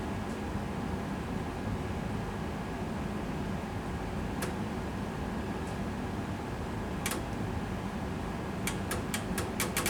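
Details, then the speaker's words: NEC PC-9801ES (386/V30 PC-98, 3.5-inch drives) repaired: steady fan hiss with scattered sharp clicks and a quick run of ticks as the floppy drive seeks, very clicky like a pinball machine, yet it still reads. "now the floppy Drive sounds heavily clicky it sounds like a pinball machine almost you can just hear that click click click"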